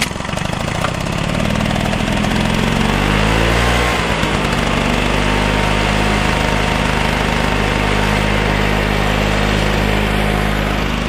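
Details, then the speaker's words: Flymo L47 two-stroke lawnmower (25:1 mix), former non-runner: uneven hunting beat around three pulses a second, never settling into a clean note; rough running, owner suspects a carburetor jet, may replace the carb. "It's not running 100% right. I've got a feeling it's that jet, but I may invest in a new carburetor for it if I can't get that jet out."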